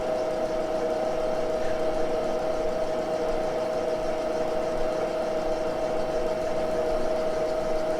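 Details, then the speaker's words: Moore jig borer with Wohlhaupter automatic facing head facing 1953 Harley-Davidson K model crankcase cylinder surfaces, speed dropped to about 220–230: steady cutting tone over rough rumble; machine shakes slightly, harmless. "Okay, I dropped it. I dropped a little more. 230 or 220. It's actually shaking the machine a bit here."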